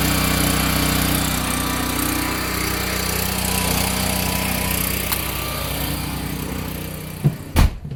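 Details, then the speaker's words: Free curbside-found generator revived for a skoolie bus, freshly refilled with oil, on its first test run powering a load through a heavy 20 gauge extension cord: even steady drone at constant speed, no hunting or surging, then a couple of handling clunks; normal. "As you can see, nice even flow of power. So I think this thing's going to work great for powering the bus on our long excursions out."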